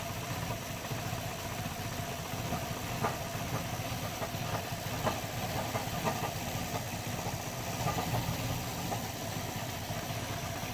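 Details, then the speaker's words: Mercedes 190E 2.0 natural gas conversion running on gas, idle near 500 rpm, expected worse with lights on. Quiet uneven idle with hiss and irregular stumbles, close to stalling; rough idle. "yeah it's gonna be terrible again not good enough for me"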